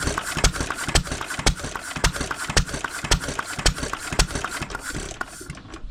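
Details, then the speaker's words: 1920s Taylor Model B hit-and-miss vacuum engine, long sat, choked on old bad gas after the fuel check ball was freed: sharp uneven putts about twice a second dying away; fires only intermittently, sputtering instead of catching. "Now, you want to choke it. Okay. Burn that old bad gas. Yeah, getting two putts."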